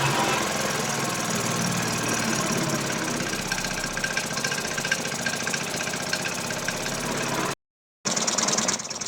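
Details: Piaggio Liberty 125 scooter after a starter electrical fix, new spark plug and starter spray: uneven, labouring putter with irregular firing and no crisp pickup, barely keeps running; weak and struggling, carburetor cleaning planned next.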